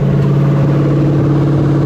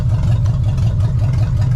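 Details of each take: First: 1975 Chevy Nova 350 four-speed, sitting since 1987, first runs off the tank, choke still unsorted, alternator not working: lumpy, choppy pulsing idle after revving start; engine misfire, cause unconfirmed. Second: 1975 Chevy Nova, warm after about five minutes running, vacuum lines fixed: steady, even low idle near 1000 rpm, about 30 psi oil pressure, smooth regular pulse, no knocks or misses; healthy warm idle.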